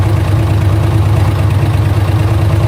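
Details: Chevrolet LS1 V8 at steady idle with a light, quick tick running under it the whole time; source of the tick not pinned down yet.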